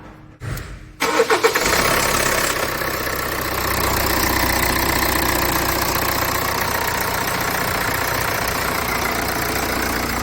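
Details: Vehicle with 239,000 km, bonnet open, no fault codes: the starter whirrs briefly, then it catches and settles into a steady, even idle with no knocks or misses; normal start and idle.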